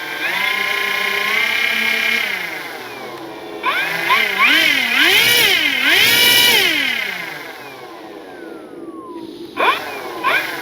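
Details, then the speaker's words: FMS P-47 Thunderbolt RC plane, brushless 4258-KV460 motor with 80A ESC, balanced prop, run up on the ground: whine rising and falling with each throttle blip with a harsh edge on top; cause unknown, owner suspects possibly a magnet. "I just want to figure out what's going on with the motor. Y'all tell me what you think. That to me that almost sounds like maybe a magnet."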